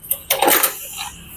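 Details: Yamaha Mio Soul kick starter pushed: sharp metallic clack then short crunching rattle with engine not turning; kick starter jammed by worn gear teeth.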